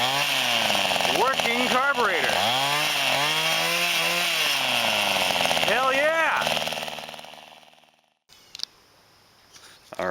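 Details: Mid-1990s to early-2000s Mantis SV-4B Type 1E two-stroke tiller with Zama carburetor: high, buzzy engine revs up and down cleanly, then shuts off after about eight seconds; the engine runs healthy.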